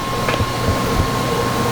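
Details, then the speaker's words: Generator running on gasoline with HHO from electrolyzer added, under load; steady even drone, constant tone, no misses or surging; running smoothly. "I'm just trying to listen to it, see what it does, you know. That's the amount of gas we're pumping into it right now. You can see everything's running pretty good"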